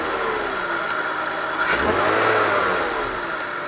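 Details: BMW E46 323ci M52TU engine after repairing a DISA valve that would not hold vacuum: revs up cleanly and settles back smoothly, no flutter, rattle or hesitation; earlier revving noise seemingly gone; DISA working properly again.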